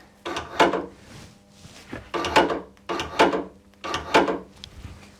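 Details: Antara tailgate after replacing the opening button (previously zip-tied; wiring fault also suspected): four short even whirring clunks about a second apart, latch actuator now working.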